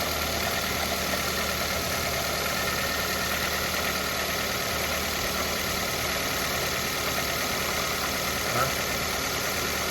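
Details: Mazda Verisa engine at idle: busy, noisy idle with faint steady hum and no clearly separated knocks; engine knock reported, cause unknown.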